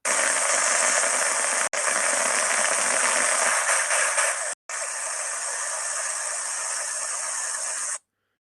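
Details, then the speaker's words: Dry bearing needing grease, recorded with structure-borne ultrasound while an electric grease gun lubricates it: rough crackling hiss that turns quieter and smoother as grease enters, showing the difference correct lubrication makes. "as as you can hear there's there's really there's a big big big difference between uh the bearing needing grease and the bearing receiving the correct amount of Grease"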